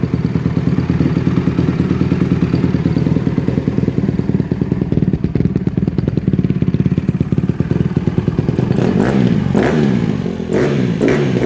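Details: 2007 Honda CRF150RB dirt bike reassembled after buying as a basket case, with water found in it and new stator ordered; single-cylinder thumping at steady idle then sharp revs, firing evenly; normal running.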